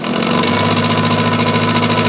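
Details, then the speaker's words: Small bench grinder repurposed as a wire wheel station: steady motor hum with rapid faint knocking like a rod knock; owner suspects shot bearings, or possibly bushings. "And uh I think my uh bearings are about shot. I heard George at you want to watch say one time say that his had a rod knocking. Well, that's what this sounds like."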